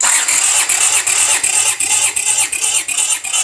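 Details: 1982 Honda GL500 V-twin cranking during compression test, 150 psi on both cylinders; steady cranking with even compression strokes, nearly three a second, over bright starter whine; both cylinders evenly matched and healthy.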